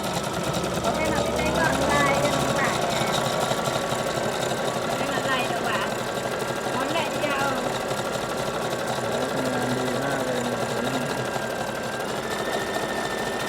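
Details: Brother GS2007 sewing machine after repair of its internal mechanism, which before could only sew straight and not zigzag: quick, even needle clatter around four stitches a second with a steady motor hum, stitching smoothly.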